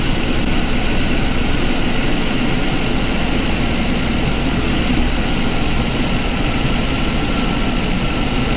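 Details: 2006 Lincoln Town Car 4.6L V8, first start after intake manifold replacement and a new fuel filter: steady, even low rumble at a settled idle with no knocks or stumbles; running smoothly.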